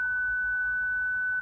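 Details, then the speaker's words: 2008 Freelander 2, ignition on with engine off: one steady high beep of about 1.5 s from the parking aid fault warning; traced to a broken wire. "That's the problem I've got, and I've traced that to a broken wire."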